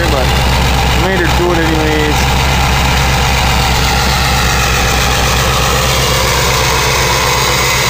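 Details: 2000 Ford 7.3 Powerstroke diesel cold start in 7°F Wisconsin weather (about 10 above said): even, steady clatter with no hunting or lope, white smoke; normal cold idle.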